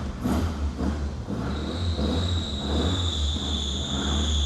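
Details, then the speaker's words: 7A-GE-powered Toyota Echo driving under its own power for the first time, sensitive clutch: a steady high-pitched squeal from a singing alternator belt over low engine rumble. "that alternator belt is singing."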